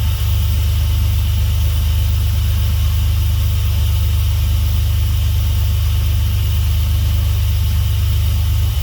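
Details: Swapped Dodge 3.7 V6 in a truck, running after new crank and cam reluctor rings fixed a no-start. Steady, even low rumble with no misses, knocks or ticks, settling into a smooth, healthy idle.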